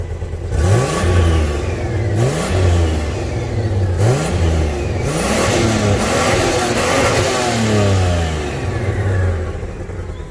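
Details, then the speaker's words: 1992 Toyota Land Cruiser 80 Series with its second engine, running rough with uneven, ragged revs on blips after coming back down the beach; not overheating, but white residue under the oil cap, so owner suspects a blown head gasket. "so this kind of happened coming back down the beach and here it's running badly that can't be good"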